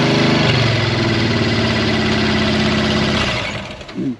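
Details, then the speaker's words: Monster truck stuck in a pond after breaking something in the drivetrain: loud labouring engine with harsh uneven rattling about three per second, then cutting out; transmission or drop box suspected, not confirmed, no grinding heard. "No. That sounded really bad. That sounds really nasty. Is that the transmission and the drop box?"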